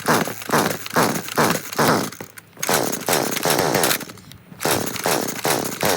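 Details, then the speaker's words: Stihl FS40C trimmer that won't start, on fresh fuel mix with the spark arrestor already removed: repeated pull-cord strokes turn the engine over but it never catches. The NGK CMR6H plug was oily and carbon-fouled. "Okay, so this thing still won't start. Let's pull that spark plug out and take a look at it."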